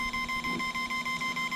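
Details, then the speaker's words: Uncalibrated 60A ESC with GoolRC 3500KV brushless motor in a 1:12 Deerc 9200e RC car, remote on: obnoxious fast beeping, about six to seven short tones a second over faint hum; trims off centre, fixed by centring settings. "so real quick um i turn the remote the remote's on do you hear it everybody's getting this beeping right obnoxious fast red beep"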